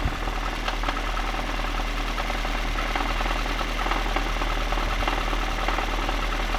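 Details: VAZ 2110 8-valve engine running with a dull uneven knock about once a second under the idle; source not pinned down; engine knock.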